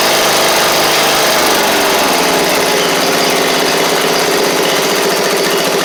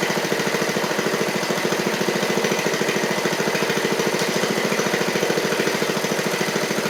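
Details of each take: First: Seven-year-old MTD Murray riding mower, single-cylinder engine, oil slightly low, just started after repairs: strong even beat at steady speed, no misses or rattles; running right. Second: 7-year-old MTD Murray riding mower, oil slightly low, with a missing valve replaced: single-cylinder engine pulsing unevenly about 3.5 times a second and stumbling after running great at first; owner suspects water in it.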